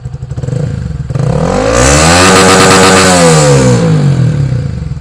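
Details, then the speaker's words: Honda Sonic 150R after remapping the original ECU: single-cylinder snapped open, revs climbing fast to the raised limit of about 11,500 rpm and falling back cleanly; strong, even pull. "Oke ini motor sudah kita hidup sekarang tinggal kita lihat limitnya sekarang beberapa maka sudah 11.000 ya 11 setengah ya Nah ini kita lihat mencoba kita gas ya"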